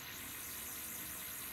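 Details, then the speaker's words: Neotec NT-2701 27" arcade monitor chassis after repair (burned-up C450, reflow, rework, new filter cap): faint steady high-pitched whine, no ticking, normal for these chassis; image perfect and stable. "sounds like a frequent high frequency noise and scrambling and whatnot that's every one of these I ever worked on has that same noise everyone I ever worked on so you have nothing to worry about"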